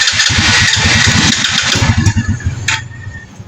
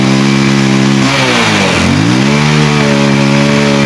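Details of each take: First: Rusi 110 motorcycle that won't stay running: uneven, stumbling putter with sharp pops, misfiring with strong backfire on start, from a broken spark through a corroded plug wire. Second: Rusi Kraken motorcycle (about 110cc) that backfired and would not start, now running after its rusted, wet high-tension wire and plug cap were dealt with: it revs cleanly, rising and falling, and starts on one click.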